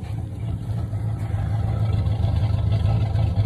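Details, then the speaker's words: Chevy Silverado running rough; owner believes the ECM is faulty and firing at the wrong time, though no misfire code set: deep uneven rumble with loping pulse around three per second; rough running, suspected misfire. "it's uh the ECM is messed up on it which is causing it to fire at the wrong time it's not giving me a misfire code but I know that's what's wrong with it already"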